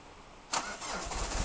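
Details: Peugeot 306 XLtd diesel cold start, full glow plug cycle, no throttle: quiet cranking, then it catches abruptly and runs rough and uneven for a moment, struggling to fire; owner suspects worn injectors, recent cold starts much worse.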